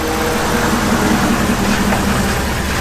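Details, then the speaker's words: Truck after driving through deep puddle, water ingestion feared; air filter dry but dirty, scanner reported cylinder 8 injector failure: rough idle with thin, wavering whistle-whine above engine rumble, source unknown. "That whining whistling is still getting me. I don't know what that would be."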